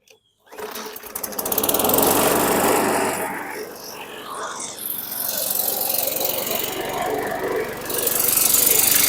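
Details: 2019 Murray push mower with a 4.5 hp Briggs & Stratton 450E engine: it catches and settles into a steady petrol drone with slight surging. It runs normally once the tight safety-brake cable that was killing the coil is released.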